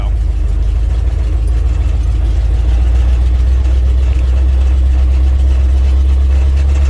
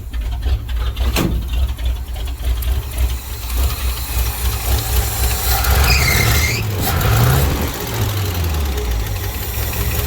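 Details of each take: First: 1967 International 1200 truck driving slowly after carburetor rebuild: deep steady even rumble, no knocks or misses, running like a sewing machine. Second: 1967 International 1200 truck engine idling, donut exhaust gasket possibly still leaking: light quick ticking clatter over the low rumble; lifter clatter.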